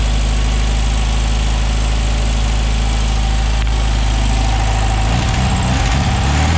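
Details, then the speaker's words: 1968 VW Beetle flat-four with a newly fitted, unadjusted no-name aftermarket carb replacing the Solex, oil-bath air cleaner refitted: low, throbbing idle, steady with no misses or hunting. Running smoothly. "So with the oil bath back on, let me start it up again just to verify everything's working like it should."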